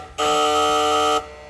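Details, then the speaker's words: 1989 Mustang GT Foxbody restomod, just flashed with a base tune for its new cold air intake and IMRC delete, key turned to on with the engine off: a steady, loud buzz lasts about a second. The source is unknown. "What the hell? I have It's making some kind of buzzing noise. Jesus. I didn't even know it was capable of making such noises."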